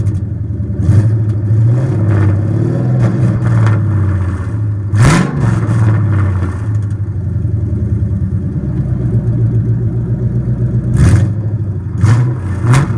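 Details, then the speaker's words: 1999–2004 Mustang GT V8 just fitted with headers and X-pipe, cat-back not yet installed: deep, loud V8 burble with sharp throttle blips, smooth and even between revs; normal, healthy exhaust. "That's a 99 to 04 Mustang GT header install with the X pipe. It sounds pretty good."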